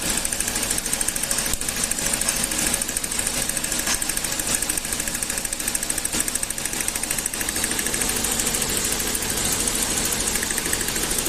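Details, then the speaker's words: Toyota petrol engine: rapid sharp metallic rattle, knocking/pinging, caused by ignition current leakage from faulty plug wires and damaged coil output towers; leads to power loss and higher fuel use. "un Toyota, el cual tiene un problema que hace el famoso cascabeleo o como bien lo conocen el tecleo del motor, ¿no? Tecleo fuerte en el motor."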